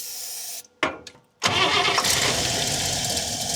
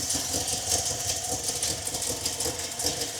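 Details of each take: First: 1961 Buick LeSabre after radiator and fan upgrade, air cleaner on: short uneven cranking bursts with pauses, then catches and roars; hard start, seems to have lost prime, owner unsure if fuel pump or very old gas. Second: 1961 Buick LeSabre V8 after radiator and fan upgrade: smooth steady idle with even low rumble, much quieter without the old fan roar; healthy.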